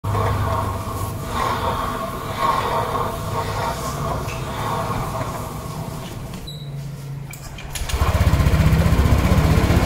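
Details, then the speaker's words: Scooter (matic) with a loud, rough grating churn from the CVT drive case, caused by a worn driven (rear) pulley needle bearing. "Jadi teman-teman udah mendengarkan dari awal ya untuk kalau hanya yaitu suara yang nggak enak didengar yaitu suaranya ngerosok gitu ya seperti lah ini intinya"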